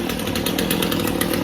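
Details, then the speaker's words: Stihl chainsaw after carburettor clean-out, warmed up: crisp steady two-stroke buzz at low idle, holding speed without bogging or choking; saw running cleanly again after the repair. "So that's my low idle. That sounds good. If I give it a little gas, we'll fire it up."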